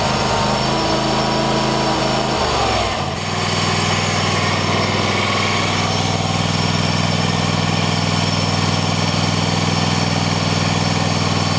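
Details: Troy-Bilt lawn tractor single-cylinder engine, retest after choke cable adjustment fixing hard starting; throttle controls stiff: steady buzz, brief dip as choke comes off, then smooth even run; normal start.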